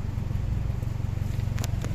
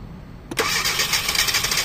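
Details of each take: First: 2012 Hyundai Accent automatic, after loosening the exhaust joint: it starts on one click and settles into a low, steady idle with an even pulse and no misses. Good idle after relieving the suspected exhaust restriction. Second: 2012 Hyundai Accent automatic with ECU already replaced and new spark plugs: the engine catches sharply, then runs raspy and choked and never picks up. Exhaust restriction is suspected.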